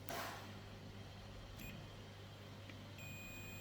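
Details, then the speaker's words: Multimeter beep mode on a dead Asus laptop's charging-port power circuit: a steady high tone when probing the MOSFET output to ground, meaning continuity and a short circuit on that rail. "And we've got a beep, so we've got a short circuit here."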